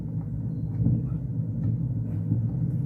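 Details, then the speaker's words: 1990s Vox AC30/6TBX valve amp: loud, deep, uneven rumble on the brilliant channel; cause unknown, a resistor or tube suspected. "Yes, there's a bit of rumbling there as well."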